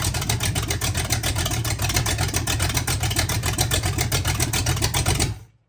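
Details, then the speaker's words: Oldsmobile 400 G big block V8, sat for a couple of years, restarted without coolant, minor fuel pump fitting leak: deep, lumpy idle with steady even exhaust burble about 220 pulses a minute, no knocks or misses; normal idle. "Let's give it another go here quick, just so you can hear the burble on the backside."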